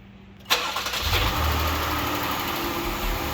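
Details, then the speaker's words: Jeep KL Cherokee 3.2L petrol, started after replacing faulty fuel injectors: starter catches quickly, engine fires cleanly and settles into steady, even idle with no misfire or stumble; normal start and idle after repair. "Alright, and then in theory we can start it up, clear the codes and get rid of it."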